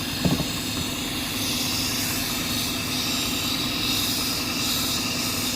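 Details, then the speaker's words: 2006 Cadillac STS 4.6L with a low mass airflow reading (codes P1101, P0068): a steady, airy hiss over a smooth idle from a leak behind the intake. A hose clamp was found cut through the intake hose. "sounds like we have a leak back here guys I don't know if you can hear that"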